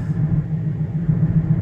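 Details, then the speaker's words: 2013-2015 Chevrolet Malibu LT 2.5L test drive after engine and transmission replacement: steady deep road rumble with faint regular throb while cruising; owner suspects failing wheel bearings, though front tyres are worn; engine purring well. "Okay, so here we are taking this thing down the road. Now it sounds like I may have some wheel bearings that are going bad on me"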